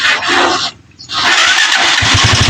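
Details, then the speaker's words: TMX 125 Alpha that was hard starting and whose push-button electric start was hard to start: brief starter whir, then the single catches on one click and settles into an even putter; normal electric start. "So i-try natin kung aandar na siya sa kanyang push button. Ayan try natin. Ayan oh. Umandar na. One click lang."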